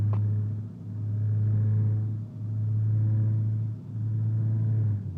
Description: Rebuilt motor with k1 Rods & wiseco pistons and .020 overbore makes this sound when I accelerate over 3k